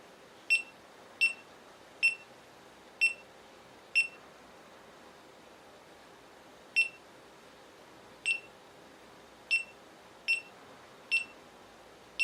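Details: GoPro Hero 3+ with beep sound enabled: short high-pitched beeps repeating roughly once a second with a gap in the middle over a quiet room; the camera's beep alert, which can be turned off.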